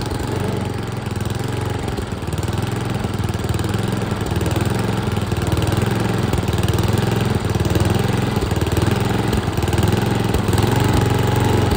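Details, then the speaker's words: Troy-Bilt chipper with 10 HP Tecumseh single-cylinder engine, after freeing a stuck governor arm: speed swells and sags instead of holding steady (surging); dirty carburetor suspected, to be cleaned next. "we hear that surging dirty carburetor that's where I leave you for today"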